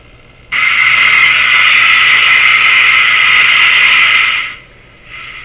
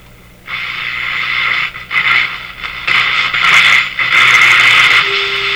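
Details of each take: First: Bradna (Breadner) JBL 37 tube radio during troublesome alignment: sudden loud steady high squeal about four seconds then drops away, IF oscillation triggered by light pressure on the IF cans; manual warns of this. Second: Bradna (Breadner) JBL 37 tube radio, tuning capacitor bearings sprayed with WD-40: hiss and station noise swell and fade evenly as dial turns, no crackle or scratching; tuning now clean.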